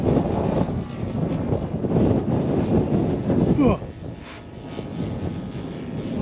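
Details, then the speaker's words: In-line twin engine in an ESM Hurricane model plane on its maiden flight, climbing under power and backfiring: note surges and sags unevenly, never a clean drone; tuning is all out. Rough running from a mistuned engine. "Okay, so climbing under power. Gosh, she's backfiring."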